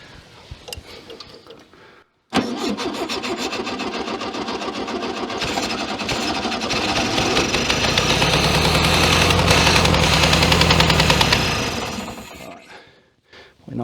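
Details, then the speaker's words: 1966 VW Beetle that has not run in over 10 years in a junkyard, running on old fuel mixed with two-stroke oil: it cranks freely and evenly at about 3.5 turns per second for ten seconds but draws no fuel and never fires. "not sucking any fuel"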